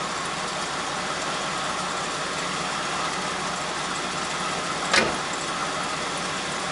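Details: 1969 Chevy Impala 327 V8, passenger-side startup after rebuilding 2-barrel Rochester carb's bad accelerator pump: steady even idle, no misses, one brief click; now starts on its own and runs smoothly.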